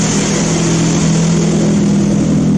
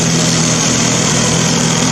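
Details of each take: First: Old Mazda engine on a homemade ignition control computer, heard outside at the outlet of the homemade three-pass muffler. Loud, raspy, steady exhaust drone with a low pulse, louder than the owner wants; he plans to adapt the original car's muffler parts. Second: Old Mazda engine on a homemade ignition control computer, exhausting through a homemade muffler. Steady, even low hum with a constant buzzy exhaust drone and no stumbles or knocks. Healthy idle.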